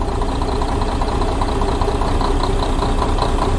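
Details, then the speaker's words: Diesel truck engine at idle: dull knock a little over twice a second; loosening injection-pump lines one by one, knock vanishes at the last one, first cylinder; injector or injection pump suspected. "откручиваем форсунки ничего не меняется и вот последние уже откручиваем и пропадает стук"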